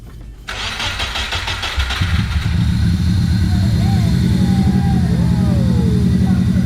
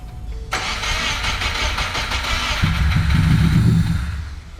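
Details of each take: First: Subaru Impreza GC with swapped JDM EJ205 engine, first start: starter whirs briefly, engine catches at once and settles into a steady, even idle without hunting or missing. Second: Subaru Impreza GC with a swapped JDM EJ205, first start after sitting, oil primed: steady starter cranking at about three beats a second. It nearly catches but won't run, apparently just needing fuel.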